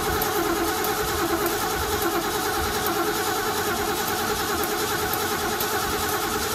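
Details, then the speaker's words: 1970 Mach 1 clone V8 with Holley 600 carburetor after gasket repair, still cold; even, steady, slightly busy cold idle with no knocks or misses: healthy cold idle. "so sounds good it's just a little cold so we'll get this running right and then i'll turn the camera back on"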